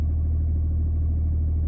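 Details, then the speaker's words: BMW E93 330d LCI with the N57 diesel, which had a suspected fuel pump or filter problem. It fires right up and settles into a steady, even low rumble with no knocks; normal idle. "give it the old crank yeah that's pretty much it it's fired right up no problemo"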